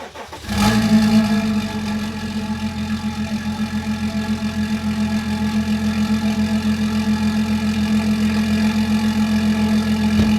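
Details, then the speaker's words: BMW X5, downpiped and believed tuned: first cold start, quick crank catching with a flare, then steady deep even idle; sounds healthy. "we're going to go ahead and start it up right now and get that first cold start"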